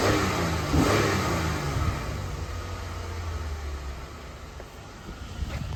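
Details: Dodge Ram 1500 that broke down with check engine light on, revved: blips up and settles back smoothly with clean even beat, no stumble or popping, motor not shaking; no audible misfire, owner suspects fuel filter.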